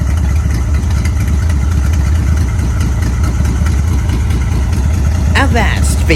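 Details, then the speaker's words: Carbureted 1955 Dodge M152 command truck, unused 15 years, running again after a flooded-carburetor wait of 10-15 minutes. Deep, even low rumble held steady with no misses or stumbles. Normal idle. "engine is running for now"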